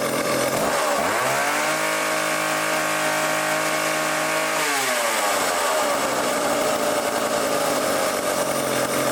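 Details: Old vintage foreign chainsaw after carb tuning (idle screw turned in, low speed leaned out, high speed opened): it climbs cleanly to a high, steady scream, holds it, then drops smoothly to a crisp idle. Normal running.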